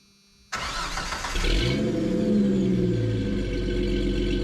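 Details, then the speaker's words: 1988 Jeep Comanche inline six, heavily modified off-road build with custom side-exit exhaust: it cranks, catches at once, flares briefly, then settles into a deep, even idle that sounds like a V8, with no misses or knocks. "I think it has a nice idle sound confuses some people every now and then because they think there's a V8 here when it's just the inline six"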